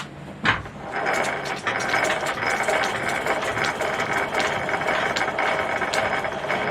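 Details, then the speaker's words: M Type treadle lathe turning an old Renault driveshaft, back gears just oiled from behind: light irregular ticking and soft mesh hum, no harsh whine; quieter, normal gear running after oiling as the cut continues. "Oh yeah, that's better as the oil gets into place, and now we'll continue with the cut."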